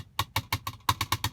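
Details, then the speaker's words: 2022 Tesla Model Y rear-view mirror: eight sharp plastic clacks with a hollow ring as the loose piece behind the mirror is tapped. Loose trim rattle from a part held by only two clips. "that's what it's causing all this noise and this thing is literally held in by one two clips right here"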